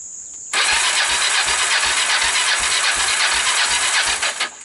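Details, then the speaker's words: Kawasaki Bayou 300 ATV, fire damaged, 60 psi compression, portable CDI fitted, valves retimed, PZ27 carburetor, no starting fluid: steady starter whir with even light cranking pulses about three a second, never catches; low compression, smoke seen. "got a whole lot of nothing going on here that's not good i got nothing"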